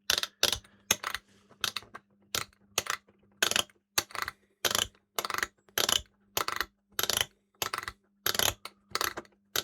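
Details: Late-1990s Kenwood KA-5090R amplifier, motorized input selector switch after cleaning with lubricating contact cleaner: crisp, even detent clicks about one and a half per second with no scratching; it turns smoothly.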